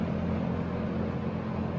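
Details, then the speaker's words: 1970s Electrohome 652-1 20-inch box fan, motor windings looked overheated but passed insulation tests, on low speed drawing 1.24 amps: smooth, even hum with a soft rush of air and no rattles; healthy low-speed running. "all right so on low-speed we are down to one point two four amps so those are really healthy readings"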